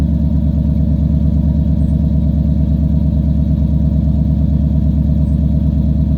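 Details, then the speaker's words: 1997 Chevy 3500 4x4 dually, 454 big-block V8, just started on a cold morning of about 21 degrees: deep, even idle with a steady lope and no knocks or misses; running smooth and healthy from cold. "well okay there you go she's running a truck starts right up no matter what the temperature is"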